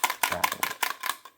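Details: Cheap eBay 7.5 V AC adapter for a PlayStation 1 Slim that arrived dead and was never plugged in: about six sharp clattering bursts as it is shaken, a loose part tumbling inside the housing.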